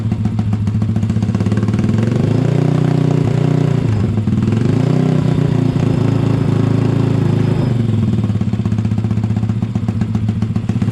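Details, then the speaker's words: Honda ATC 70 with Piranha 140cc engine swap, first start with fresh 800 ml oil: low even putter settles to steady idle, no knocks or misses; exhaust sounds good and not too loud. "Just going to let it idle for a second or two. Exhaust sounds good. [Music] Not too loud either."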